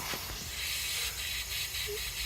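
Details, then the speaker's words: 2017-2022 Honda CR-V/Civic A/C system found empty, charged with compressed air: constant sharp hiss with nothing mechanical behind it, leak right above the compressor. Owner believes the compressor is blown but will check the line above it. "All right, we pumped some compressed air into the system because it was empty anyway. Even without the dye, you could hear that hiss leaking."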